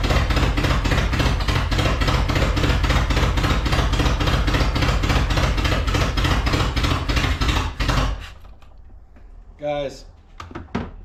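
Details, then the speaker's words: Long-abandoned Datsun/Nissan 720 King Cab 4x4 pickup, sat about 20 years, after a timing jump was fixed and a new carburetor fitted: uneven galloping lope about 3–4 beats a second that never smooths into a clean idle; cause not found. "we're not getting it to run any better I still got that gallop you can hear it"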